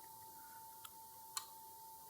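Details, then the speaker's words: Digital socket timer under repair, relay switched by manual operation: two sharp, clean clicks half a second apart in a quiet room, the relay now activating normally, so the fault may be solved. "and we can hear the relay. We can hear the relay activated with the manual operation."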